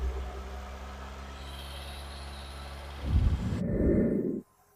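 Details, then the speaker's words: Ex-British army Bedford CF2 Ferguson 4x4, 7000 miles, just revived after years parked, cold day: low idle rumble with a lumpy beat that never settles, misfiring, running on almost four cylinders; owner suspects plugs. "Right. We seem to be running on almost 4 cylinders. I think it could probably do a set of plugs."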